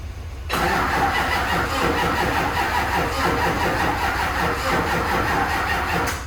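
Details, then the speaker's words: HMMWV Humvee with swapped Duramax LBZ diesel and newly installed FASS lift pump, start attempt on a doubtful battery: steady even cranking for about five seconds without catching; owner suspects the fuel system isn't fully primed. "morning here last night just cranking and cranking and cranking and cranking and I don't think that it can I don't know"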